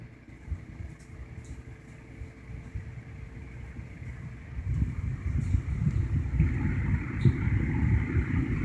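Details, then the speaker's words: 1960–61 GE W-15 variable-speed box window fan on its low setting; slow to start, with a soft low hum and airflow rising as the speed is turned up, plus a faint buzz from the rear metal grille; running normally. "like all GE box fans they are slow to start up but this particular fan low is really low and the buzzing that you'll hear is that that back metal grill I've yet to be able to get it to stop buzzing that's low"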